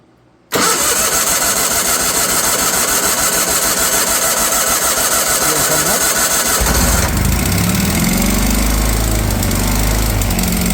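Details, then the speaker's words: Wheel Horse 416 Hydro, 16 hp, sat outside for two years, with a new fuel filter just installed and choke on: about six seconds of even, rapid starter cranking while fuel fills the filter before the engine catches and runs up. "we'll probably have to crank it until it brings some fuel up into that filter and fills the"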